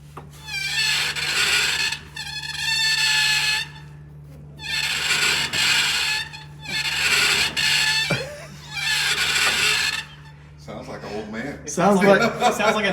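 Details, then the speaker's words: 35 ft Prevost bus with 6V92TA engine, wheel spun by hand: rough grinding bursts come and go over a steady hum and stop when a part is moved; wheel-end noise, cause not identified. "sounds like dollar signs to me okay spin it if i move that whenever that is the noise stops"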